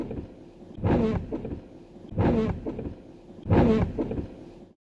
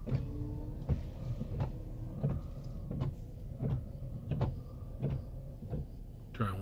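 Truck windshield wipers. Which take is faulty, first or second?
first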